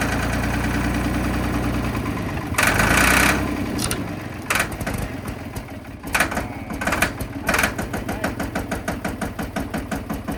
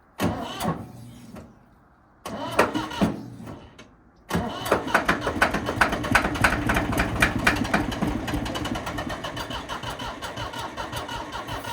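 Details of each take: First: Ford 3500 backhoe diesel after sitting a long time: rough cranking and sputtering catches, then a steady clatter about three beats per second running on its own, showing injectors and injection pump work; normal running after storage. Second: Ford 3500 backhoe diesel that had been sitting a long time, freshly charged battery and starting fluid: slow starter grind about three turns a second, a pause, then ragged uneven firing that stumbles and won't settle; hard starting, later runs on own power.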